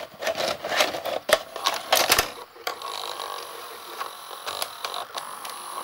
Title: Panasonic NV-SD430 (garage sale find) noisy mechanism ??